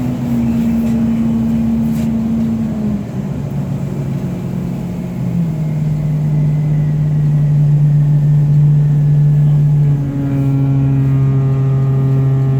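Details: Orion VII NG diesel-electric hybrid transit bus: a steady low buzzing tone over the drive that steps up in pitch as speed changes. A buzzing noise of unclear cause.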